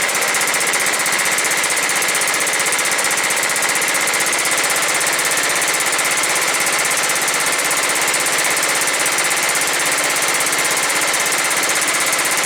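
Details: John Deere STX38 mower with a Kohler Command 13 hp engine and 38 in deck, first start after sitting as a non-runner and a mouse-nest cleanout. Single-cylinder runs at a steady fast chatter, even and level, no misses or knocks: normal running.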